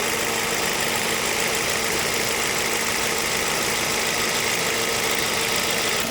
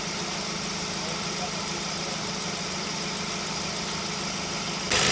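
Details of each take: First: Ford Focus, 93,905 km, 10 years old, AC not cold with o-ring and compressor oil leaks at the compressor; at idle with AC on, constant hiss and droning hum over radiator fan; noisy compressor, refrigerant top-up planned. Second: Ford Focus, 93,905 km, about 10 years old, engine idling with AC compressor engaged after repair (original compressor kept; O-rings, expansion valve and drier replaced, oil with UV dye refilled): steady, even hum with no rattle or grinding; compressor running normally.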